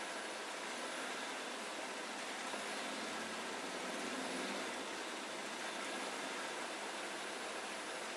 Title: 2014 GMC Sierra 1500 electronic chirping sounds when pushing accelerator